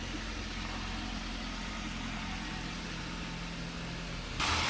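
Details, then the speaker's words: 2007 Toyota Avanza Type G VVT-i, used car at idle: engine smooth with no significant vibration, exhaust fine with no smoke; quiet, steady, even low hum without misses, knocks or rattles. Normal idle. "Hai kalau maksudnya halus teman-teman terdengar maksudnya halus dan juga tidak ada getaran yang berarti normal untuk Mesinnya tidak Hai untuk kenalpotnya sendiri juga aman tidak ngebul"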